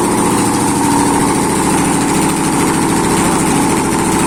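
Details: ZMZ-511 engine first start after a major overhaul: loud, even idle with steady low hum, no knocks or misses; normal idle.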